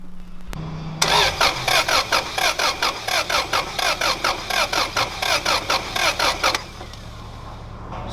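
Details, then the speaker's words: Car with gas-smelling oil during compression test, ignition fuse and fuel pump disconnected: starter turns engine in even, labored pulses, three or four a second; slow cranking, owner suspects weak battery skewing cylinder 3 reading of about 100. "cylinder 3 is at just about 100 but i don't necessarily believe that because my battery sounds weak so i might have to charge the battery beforehand"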